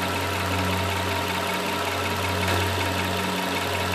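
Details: 2002 Nissan Maxima VQ35, rough uneven idle with a slight shake from a cylinder 6 misfire (code P0306, check engine light on and off while driving); the plug well was wet, and swapping coils showed a faulty coil boot spring.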